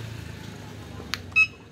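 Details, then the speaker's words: Electric cargo bike after controller replacement (old controller failed): on key switch-on, quiet then one short clean high-pitched beep with no repeating error beeps; controller powers up normally. "Nah itu ada bunyi itu bunyi normal tidak ada bunyi error lagi yang tit Ti bunyi sendiri"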